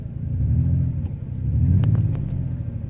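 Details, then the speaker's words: Ford Escape V6 at 26°F with a failed ignition coil: deep, uneven rumble that swells and sags, stumbling on five cylinders with a #3 misfire; check engine light comes on. "oh yeah we go stumbling with the stumbling the next the next indication I should get is a check engine light and that's gonna tell me which coil is bad"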